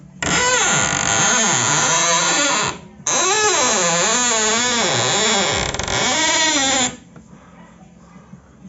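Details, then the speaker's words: Squeaking dishwasher door on opening: long wavering squeal rising and falling as the door swings, from the dry hinge mechanism; access cover removed to lubricate it, and the squeak is gone after greasing. "Так ну вот проблема скрипа именно вот здесь в этой части сейчас покажу слушаем"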